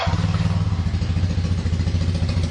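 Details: Kawasaki KZ440 twin with single carb, warm, after cleaning clogged pilot passages, pilot screw one turn out: steady, even low putter with regular firing pulses and no misses or hunting; twin idles cleanly on both cylinders.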